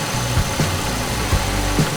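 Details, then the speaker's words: 1994–2004 Mustang after replacing a noisy power steering pump with a rebuilt one, fluid bled by turning the wheel side to side and level lowered: even idle, soft thumps, no whine or groan; normal power steering pump. "I believe it's pretty good our steering nice and quiet there's what it was repair is done"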